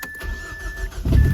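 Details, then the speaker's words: Car starts after starter problem fixed by cleaning corroded battery terminals and applying dielectric grease: short crank, catches straight away, settles into a steady low idle; restarts right away too. Normal start. "Look at that. That's beautiful. Wonderful. Amazing. Runs."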